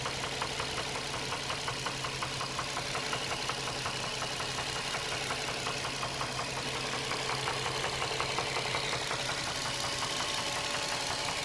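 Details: Nissan 350Z petrol engine at idle, oil level fine: steady sharp ticking over the running sound, mainly from the back of the engine near the firewall; cause unknown.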